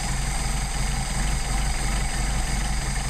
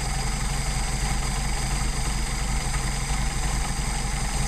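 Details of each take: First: Mercedes 190SL with rebuilt replacement Solex carburetors, linkage disconnected, each carb adjusted individually via idle mixture screw after backing idle off; low, even idle with steady pulse, no dips or hiccups; normal idle, mixture set right. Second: Mercedes 190SL with rebuilt Solex carbs being tuned at a low idle, throttle linkage disconnected so each carb is set individually. Turning the idle mixture screw in too far makes it lean: a slight uneven lope, the engine sags and slows, and the stumble worsens until the screw is backed out.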